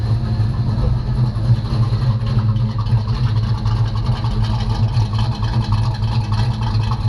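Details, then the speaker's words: 1985 Chevy C10 short bed, long tube headers, running again after starter replacement: deep uneven lumpy idle with loping beat about three pulses a second; lope from an aftermarket cam. "she got a cam in her she has got a cam in her"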